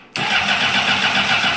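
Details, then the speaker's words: 2004 Honda CBR600RR: with the lights and tach on, the starter spins briefly and the engine never fires because the fuel pump doesn't prime. A busted ignition switch fails to activate the fuel pump circuit; grounding that circuit made the pump prime. "However, you probably couldn't hear, but the fuel pump did not prime on this. So nothing's activating my fuel pump circuit."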